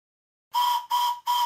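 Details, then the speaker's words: Simplex Prairie Tank model steam locomotive, whistle on compressed air test at only 30 psi (boiler working pressure 90 psi): three short breathy whistle blasts, thin pitch near 1 kHz, weak and asthmatic from too little pressure. "it doesn't sound good really a bit asthmatic but then the pressure's only at 30 pounds per square inch"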